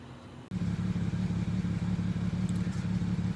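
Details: 2009 BMW 335 with high mileage, injectors already replaced: low idle pulsing unevenly about three dips a second, rough idle of unknown cause.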